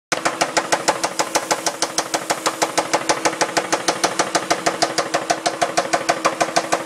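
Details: 2002 Dodge Intrepid RT 3.5 V6, 60,000 miles, sudden knock: loud, sharp, evenly spaced knocking over idle like rocker noise; persisted after new rocker assemblies and timing belt, owner to check rod bearings. Cause unknown.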